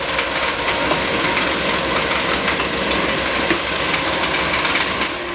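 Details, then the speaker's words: Phresh Hyper 8-inch inline ducting fan (75 W) being sped up on its rheostat toward 50%, winding up within milliseconds: a steady, even air rush with a bright hiss, no rubbing, ticking or wobble. Normal running at higher speed. "as I am changing the riat within milliseconds I can hear the fan winding up this Fan's actually starting to push itself off the table"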